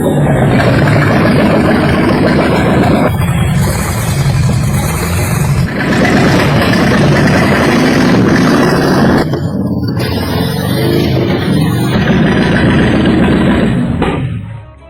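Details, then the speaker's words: 1950s Hongqi after engine overhaul, running after adjusting the fuel steel line: steady, even engine beat at a quick idle, no misses or knocks; runs smooth, normal running. "Brothers, it started. The engines running so smooth."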